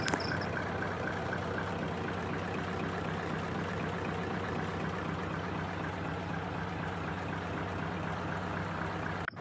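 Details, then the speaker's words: Mitsubishi diesel with idle raised to expose a sharp tapping knock about four times a second over the rumble; suspected incorrect injection pump timing, persisting after nozzle repair, so pump delivery valve to be cleaned next. "Oke karena sudah ada di video saya sebelumnya cara ejaz timer bospom ok I make kita naikkan dulu langsamnya atau stasioner nya supaya terdengar suara ketukan nya sahabat ya bisa kita deteksi"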